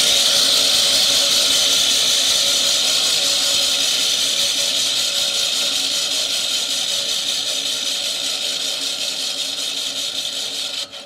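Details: Toro Greensmaster 1000 reel being backlapped with 80-grit compound, reel drive disengaged; steady high whir with fine even ticking about four times a second as the reel backspins; normal light reel-to-bedknife contact.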